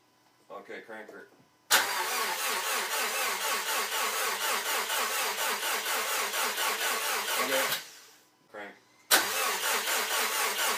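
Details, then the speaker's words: Rebuilt 2013 Subaru STi engine cranked to build oil pressure before first start, crank sensor unplugged and fuel pump fuse removed: even, quick starter cranking with no firing. "So I've got the crank sensor unplugged. Should kill off our ignition. And the fuel pump fuse is still removed. We want to crank the engine until maybe we see a little bit of oil pressure pop up on the gauge."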